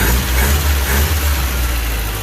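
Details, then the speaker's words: Older engine just fired after a points swap, idling: steady low rumble with an even beat, no misses or knocks; normal idle, and it revs quickly now. "Sounds like it's running okay. See what the throttle response is like from inside the car."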